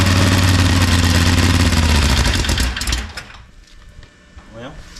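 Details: Small radial engine, first run after sitting, fuel fed by hand as carburetor wasn't supplying: harsh uneven popping about 210 beats a minute for three seconds then dies, blowing out nest debris and grain; rough running from debris in the engine.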